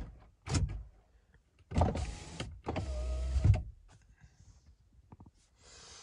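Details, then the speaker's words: 2001 Jeep Grand Cherokee Laredo 4.0L with no-start/stall, key light and SKIM communication fault; several short smooth power window motor whirs, pitch rising slightly with travel; windows and door locks work normally, showing PCI bus functions. "my overhead um information center works and my door locks work my windows work my door locks work"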